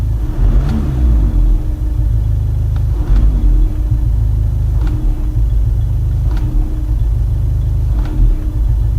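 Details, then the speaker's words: Skoda Superb with 336,000 miles idling, blipped repeatedly: each rev brings a sharp knock as the engine rocks, vibration when stationary and accelerating; engine/gearbox bracket with perished bushing and much slack, mount replaced. "the gear or start the car it does a really peculiar noise you know like something loose gearbox side engine something is loose"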